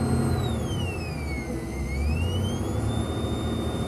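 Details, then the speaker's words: 1989 Lincoln Town Car with replacement Ford pickup radio: thin whistle in speakers falls and rises with revs over engine rumble; alternator whine, owner may add capacitors or suspects alternator nearing replacement. "so we're getting some kind of interference from the [Music] alternator so I may try to see if I can filter that out with capacitors or it may just be indicating new alternator will be needed soon"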